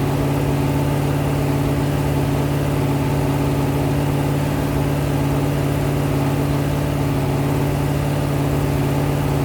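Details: Rebuilt 426 Hemi crate V8 (new heads, intake, pistons) on a run stand during flat-tappet cam break-in, about 15 minutes in at roughly 210°, 50 psi oil pressure: steady, even fast idle, smooth deep drone, no knocks or ticks; healthy, clean running.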